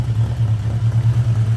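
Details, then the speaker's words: 1979 Honda GL1000 Gold Wing flat-four just after a cold start, following valve seal replacement for excessive smoking; steady, even low idle with a regular pulse, no misses or knocks; no smoke; normal idle. "this is going to be an awesome running bike and uh I want to talk a little more about that too"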